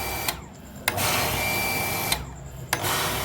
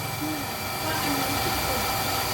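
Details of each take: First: Hitachi home water pump that cycled on and off, after replacing the plastic air tube and reusing two rubber seals: motor hums a second or two, cuts out and restarts repeatedly. Short cycling from trapped air; check valve must be bled. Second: Hitachi home water pump, after replacing the air tube and bleeding air, bathroom tap open: steady, even rushing hum with no cycling or stops. Normal continuous running after repair.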